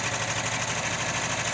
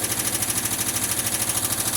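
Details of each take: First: 1979 VW Westfalia warming after cold start at about 40°F, lifters previously oil-soaked and bled; slight ticking far less than at startup, smooth even sewing-machine patter; normal warm idle. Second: 1979 Volkswagen Westfalia, cold start after sitting a long time: light, even tick of about three per second over the cold idle, lifters still pumping up and quieting down, waiting for the high idle to kick down; hydraulic lifter tick.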